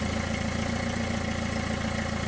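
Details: Car muffler junction with many holes, before sealing with J-B Weld ExtremeHeat paste: a quick, regular puffing tick at idle, about seven or eight a second over the engine hum, as exhaust gas escapes.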